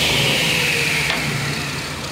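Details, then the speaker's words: Restored Craftsman 10-inch cast iron table saw after cleaning and white lithium lube: the motor spins with a smooth, even whirr and eases down without rattles or knocks. The belt is old, marked, has lube on it and needs tightening. Normal running. "sounds good let's take a look at the belt it need to be tightened belt's a little old"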